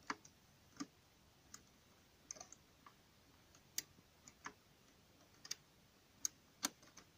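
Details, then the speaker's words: Double-bit key safe cabinet lock being picked, 8 levers; faint irregular light clicks about one or two per second in quiet room as levers move, a good sign, though levers can jam and the mechanism must not be blocked. "ce qu'on entend c'est petit clic toujours bon signe les gorges se déplacent mais quelquefois se déplacent se coince un endroit il faut pas bloquer le mécanisme"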